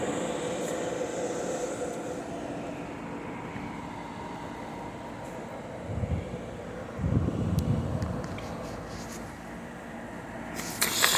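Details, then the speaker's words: De'Longhi portable air conditioner PAC AN370G1W on full blast, heard at the rear condenser blowing very hot air: steady, even air rush with constant blower hum, no rattles or scraping; running normally. "This is what the condenser is located back there. It's kicking up some very hot air."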